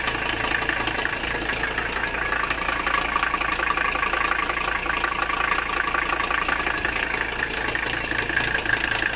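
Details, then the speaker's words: Mercedes 300CD diesel knocking heavily and unevenly at idle, about three times a second over the clatter, after running fuel system cleaner; owner says it smells and sounds almost like it's detonating, cause unconfirmed. "almost smells like a detonating it smells sounds like it's detonating almost"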